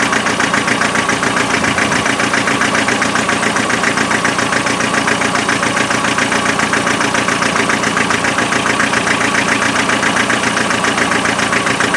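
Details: Land Rover 2.5 NA diesel restarted after thermal camera showed the rear cold: regular stumble two to three times a second breaking the even clatter; one cylinder misfiring at idle, injectors later spray-tested.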